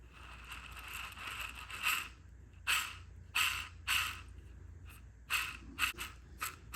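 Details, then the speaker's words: Corvette C5 clutch slave cylinder worked by hand during drivetrain removal: irregular dry, high scraping and squeaking; bushings look okay but 20-year-old rubber, slave cylinder is the main noise source; full rebuild planned with new slave cylinder. "It's definitely got some noise. Bushings look okay, but you know, this is 20-year-old rubber, and the main culprit source of a lot of the noise was this slave cylinder."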